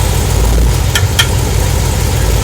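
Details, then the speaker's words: Camaro with automatic transmission, shifted between drive and reverse at idle: two sharp clicks about a fifth of a second apart on engagement, a rear-end driveline clunk attributed to missing axle thrust washers (TSB fix). "Again, put it in reverse. So that's the noise. Okay, you can turn it off, son. So that's the noise."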